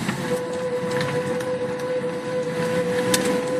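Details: Car noise while driving that persists after the caliper was changed: a steady mid-pitched tone over road noise with scattered light ticks. It is loud at slow and fast speeds and stops while the brakes are applied, then returns; cause unclear.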